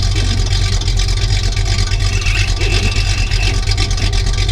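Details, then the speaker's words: 1973 Plymouth Roadrunner, original 318 V8 with about 23,000 miles, recently cold-started, heard at idle from the rear exhaust: a deep, throaty burble with an even, lopey pulse and no ticks or misses. The V8 exhaust note is normal. "Now you can hear it running. Hair out sounds, it's got that nice throaty sound to it. It sounds like a really mean race engine, but it's just a 318."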